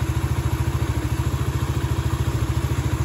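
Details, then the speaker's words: Yamaha Vega ZR after crankshaft bearing replacement: rough, pulsing idle about 3.5 beats a second with faint humming whine that vanishes when black and white stator wires are jumpered; electrical whine from shorted stator (spool) coil. "Ini kan suara ngiung-ngiungnya masih ada ya. Coba kita jemper menggunakan tang ini ya. Yang warna hitam dengan yang putih."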